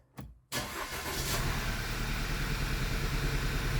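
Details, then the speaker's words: 2009 Audi A4 six-speed manual, restarted after the plugs were pulled: lumpy idle with an uneven stumble every few beats. The misfire moved to cylinder 1, and a completely faulty spark plug is suspected. "oh look cylinder number one's misfiring now so I'm suspecting that we have a completely faulty spark plug"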